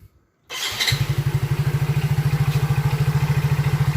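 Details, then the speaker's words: Soul GT (old) motorcycle after fixing electrical fault where electric starter, turn signals and horn all died together (battery and fuse fine); starts quickly and settles into steady even single-cylinder idle, no misses; normal start and idle. "motornya sudah hidup sudah normal sudah beres"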